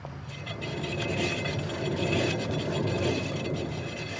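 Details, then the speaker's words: 2010–14 Subaru Legacy/Outback rear passenger wheel spun by hand, jacked up: low gritty rumble and grinding from a failed wheel bearing beneath a light high-pitched brake ting; fixed by replacing the hub assembly. "that high pitched kind of tinging sound is brake noise but that low rumble that is the wheel bearing"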